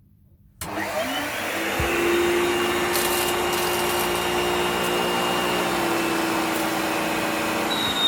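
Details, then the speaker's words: 1993 Hoover Turbopower 1000 U2814 upright vacuum with clogged filters and full bag: steady motor whir with thin high squeal and brief chirp; owner suspects dry motor bearing needing lubrication. "bit squeaky might need lubricating or something there we go anyway so we know it works"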